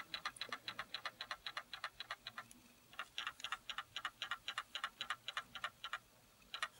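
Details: Canon Legria HF R306 camcorder shaken gently side to side: sharp light clicks about three to four a second following each shake, something loose rattling inside the housing; the battery also has noticeable play.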